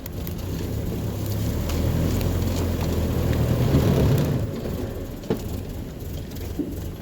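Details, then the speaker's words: Truck on first test drive after swapping in a used suffix A transmission: low, even drive rumble with tappets audible and no whine, howl or grinding; gearbox runs quiet, normal. "gearbox sounds nice and quiet you can hear the tappets going"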